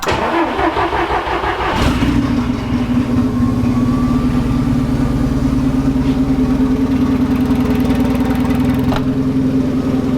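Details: Golf Mk1 4Motion AWD engine starting again after wiring work; starter cranks under two seconds, it catches cleanly and settles into a steady, even idle; normal start and idle.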